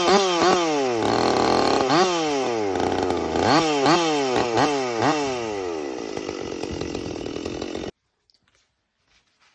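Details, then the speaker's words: Stihl MS 440 chainsaw with West Coast Saw bark box muffler, 28-inch skip-tooth chain: loud crisp two-stroke revving in quick blips, clean throttle response, steady high-rev scream; healthy, normal running. "So, yeah, cut really good, sounds really good. Ear protection is kind of recommended for this thing. It's a little bit loud, but"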